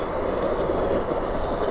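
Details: Trangia X2 multi-fuel burner primed and pumped seven times: steady, even hissing roar with no sputter or surging, clean blue flame running normally, wind-affected; normal burner roar.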